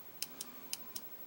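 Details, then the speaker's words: Electromechanical relay on a hobby power-supply board with flyback diode, coil fed from VDD to VSS ground: six crisp, clean, snappy clicks over quiet background; relay switching properly, circuit verified working. "When I do that, I should hear a click."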